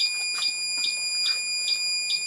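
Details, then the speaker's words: Pyramid PS-36KX ham radio power supply after a repair attempt: shrill beeps repeat steadily, a little over two per second. The protection alarm is still tripping, although voltage reaches the meter and the variable voltage control now works. "sounds like we still have a problem okay I'm gonna run this briefly now you can see that even though we're in protection mode there is voltage on the meter"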